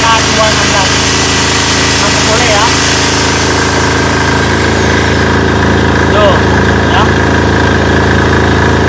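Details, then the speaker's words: Potenza 220 V AC generator, repaired, both loads running: steady even drone with loaded hum, no surging or bogging; output voltage under load stable or slightly rising, normal. "normal, Bos. Jadi, ini adalah tegangan keluaran saat berada di bawah beban; Nilainya tetap stabil atau sedikit naik, yang bukan merupakan masalah."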